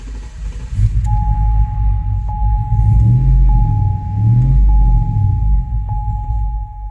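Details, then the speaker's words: 2005 Chevrolet Tahoe 5.3L 4x4, new fuel pump, P0174 lean bank 2, runs rough and stalls: low idle rumble surging and sagging under a steady chime, dies when given gas; first thought fuel starvation, cause found to be a bad engine ground. "okay guys so i went to give it gas listen to this and i just died look at that"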